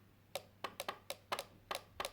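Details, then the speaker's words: Jaguar X300 wiper relay bench-tested, with positive on terminal 2 and negative on terminal 1: sharp, dry clicks each time power is applied or removed, with no buzz or chatter. The relay switches properly. "ça claque donc il fonctionne"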